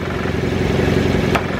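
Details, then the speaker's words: Car at a dealer auction, idling in reverse with the e-brake on: a light metallic clatter from a hood prop rod, which could be mistaken for the motor knocking. "i got the car in reverse right now with the e-brake on so i can show you but if you don't know you think the motor is knocking"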